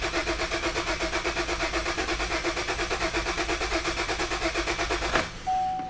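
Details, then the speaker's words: 2009 Buick Enclave, towed in, with lost communication to the fuel pump control module: steady starter chug at about two beats a second for five seconds with no catch; cranks but gets no fuel, tested with starting fluid behind the MAF sensor. "i'm gonna crank it again let you guys hear it nothing shot of starting fluid which is behind the mass airflow sensor"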